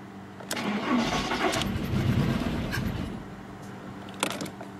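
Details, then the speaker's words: VW Polo with a coolant leak that had refused to start, after spark plugs were checked and refitted: uneven cranking that catches briefly, stumbles and dies, firing irregularly. Runs slightly better, but one spark plug lead is suspected dead, causing a misfire. "peu mieux mais je pense que il y a un des fil de bougie qui est mort"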